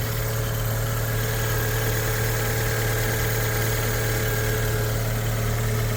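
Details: Fiat 500 (Cat S) at auction, listed as "engine noisy", started for a check. Steady, even idle with a low hum and no knocks, ticks or rattles standing out; engine sounds healthy at tickover.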